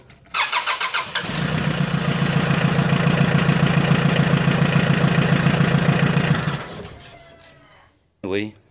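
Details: 4D56 diesel with a no start, started on a couple of squirts of lighter fluid into the intake: brief fast cranking, catches and runs rough and rhythmic for several seconds, then dies; compression and leak-down tests suggested next.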